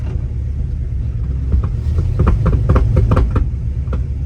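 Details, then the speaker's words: 1964 Pontiac GTO with a 389 Tri-Power and 4-speed: uneven sharp metallic knocks, a few per second, over the low engine rumble; a broken transmission mount lets the driveshaft strike a screw in the floor, possibly after the clutch was dumped. "The drive shaft's hitting on a screw he's got in the floor."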